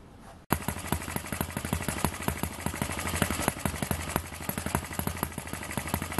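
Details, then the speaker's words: Eachine ET8 horizontal four-stroke model engine with added mass fitted to smooth it out: after a short start-up, crisp, evenly spaced putts at about eight per second; it now runs smooth and steady with no dancing around. "He's running nice and steady now. No dancing around."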